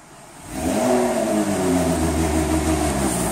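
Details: 2007 Ford Territory 4.0 six-cylinder, no fault codes or check-engine light, loss of power: revs climb under full throttle then hang flat near 2,450 rpm with a choked note; blocked catalytic converter, not the automatic transmission.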